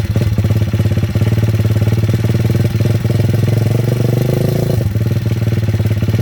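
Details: Welsh Pit Bike (WPB) 170 Detroit single-cylinder on fresh fuel, unstarted for over a year, stone cold on choke after priming. It fires easily and thumps along at a steady, even idle with no misses or knocks. Normal cold idle, owner says running like a Swiss watch.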